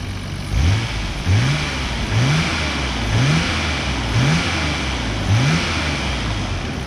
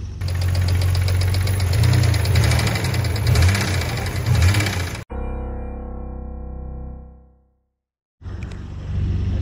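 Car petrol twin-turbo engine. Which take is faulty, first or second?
second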